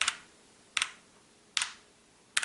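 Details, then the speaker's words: Calibur keyboard, contrasted with the Motospeed CK62, which still has slight spring pinging: four crisp keystrokes about 0.8 s apart, each dying away cleanly with no ping, quiet compared with a blue switch. Normal keystroke sound. "you don't get this the pinging sound, and but still, in comparison with a blue switch, this is relatively quiet"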